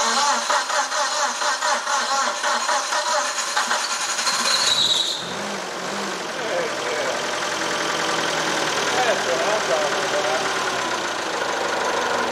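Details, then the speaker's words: Old TCM forklift engine, first run after valve check, ATF shots in each cylinder and new spark plugs: catches, stumbles briefly, then holds a steady fairly even idle without knocking; would not restart afterwards. "so it seems to run pretty good but then we encountered something peculiar"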